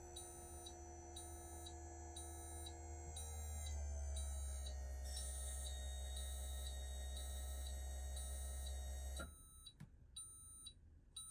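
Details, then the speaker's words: 2024 Newmar Bay Star 3014 motorhome leveling pump retracting all four jacks, ignition on and parking brake set: steady low hum with a regular high beep pattern until the pump cuts off; normal operation. "so once I do that retract all you can hear the pump come back on and now the all of the four jacks are retra"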